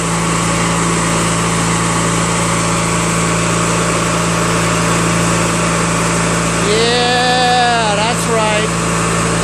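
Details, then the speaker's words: Craftsman LT1000 lawn tractor, 21HP opposed twin, first drive after engine rebuild with new drive belt, automatic transmission; even steady drone under light load, no knocks or misses, runs smooth and fast. "Engine runs so smooth, man. So fast, too."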